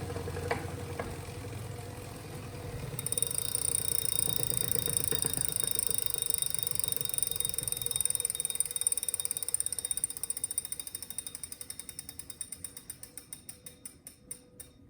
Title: Wahoo Grinding Noise